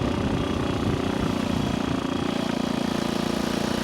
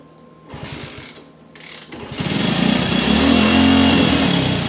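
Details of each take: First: 1964 Honda C200 pushrod single on its first ride after sitting for years, with good compression and no front brakes, doing 30 on the road. Steady, even, crisp putting beat with no knocks: normal running. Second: 1964 Honda C200 motorcycle revived after sitting for years, kick-started on auxiliary fuel tank with carb cleaner and choke: catches and runs a few seconds with rough revving, then dies; owner suspects the carburetor or idle setting, unconfirmed.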